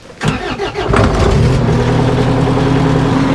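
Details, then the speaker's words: Kubota skid steer diesel starting and warming at idle, owner had heard a rattle when throttling up days earlier: brief crank then steady, even idle with no knocks or misses; normal idle. "So, we got it running and it starts up and runs fine at an idle. As you can hear, everything sounds perfectly fine."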